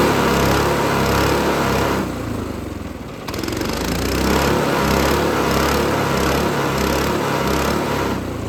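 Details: Lifan 7hp/GX200-clone engine on a Frontier OS18 sawmill, just after starting following head gasket repair for zero compression, choke on: settles into a steady, even chug with a regular beat and no misses; runs healthy.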